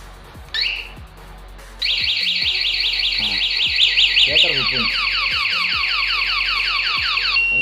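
Loud, high, repeating sweeping chirps at about two and a half per second; this is the bike alarm siren going off once armed.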